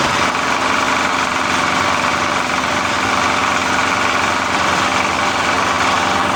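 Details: Small generator that was misfiring, after the spark plug gap (found too close) was opened up: it holds a steady speed with an even, unbroken buzz and no stumbles. Normal running.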